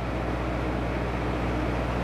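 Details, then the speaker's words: Toyota 2L-TE diesel Hilux Surf with retrofitted 1KD-FTV CT16-V variable-geometry turbo, free-revving with vanes opened: smooth, even drone without choking, no boost; engine breathes freely. "there's obviously no boost but when I um so when I kind of free reev like that it feels um feels like it can breathe really well"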